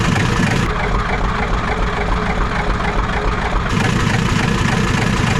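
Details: Ford 7.3 IDI diesel, factory setup, restarted after revival work with glow plugs reconnected and possible air in the fuel system; deep, steady clatter at idle with even low rumble and no misses, running normally; fast idle still works.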